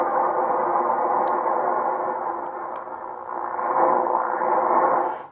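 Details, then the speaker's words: 30 m band received on an 80 m end-fed half-wave wire via FT120-43 multi-tap unun (non-resonant, SWR 1:1): harsh raspy hiss swelling and fading every few seconds with ticks; local electrical interference. "right now I've got a lot of electrical interference um but as you'll see you probably won't hear it on the inverted V"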